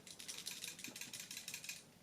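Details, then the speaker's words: Original Seagate 250 GB drive from the extra bay of a LaCie Biggest FW800, unpowered and tipped by hand: loose, tinny clattering bursts suggest something broken inside. Internal rattle; drive suspected dead. "does not sound good that hard drive sounds like something is broken inside"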